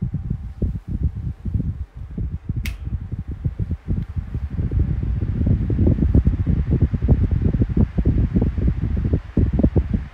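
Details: Kool-Flo SFC2-300B 12-inch three-blade high-velocity fan after oil reached the bearings: bearing noise gone, steady low whooshing hum with soft flutter on low and medium speeds, no hum on high; no rubbing or squeal, normal running.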